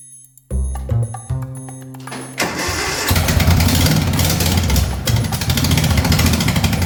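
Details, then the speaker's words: Racing mower engine just fitted with 34 mm performance carburetors, new fuel pump, filter and air filters after a valve adjustment: catches after a few cranks, then runs choppy, surging and dipping; possibly needs a different jet, bogging at full throttle. "Sounds a little bit choppy. I might need to put a different jet in it."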